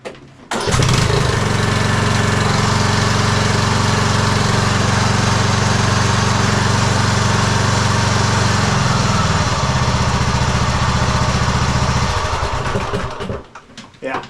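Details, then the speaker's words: 2015 Craftsman T2200 lawn tractor, 19hp Briggs and Stratton, after adding 3 washers to stop a rattle. Engine starts and runs evenly; no more high-pitched metallic rattle, way quieter. "Way better. No more high-pitched metal sounds. Cool."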